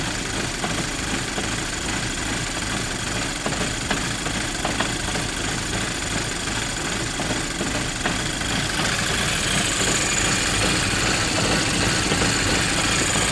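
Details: Volkswagen GTI Mk5 idling rough on a cold start: idle wavers and shakes unevenly, then the tone rises slightly near the end; cause unknown.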